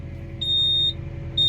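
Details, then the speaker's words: Volvo EW140C wheeled excavator at diesel idle, high-pitched warning beeps about half a second each because the quick coupler is unlocked; buzzer continues after relocking until silenced with the adjacent switch. "tym że mamy rozłączone szybko złącze teraz żeby zapiąć łyżkę z powrotem naciskamy jego dolną część jak słyszycie Piszczyk dalej działa"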